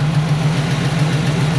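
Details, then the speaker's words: 1980 Camaro V8 during drag race prep: steady idle with a fast light tick over the low rumble; owner says it's not an exhaust leak, no metal shavings in the oil, cause unknown and it gets louder. "But I really want to figure out what this ticking noise is."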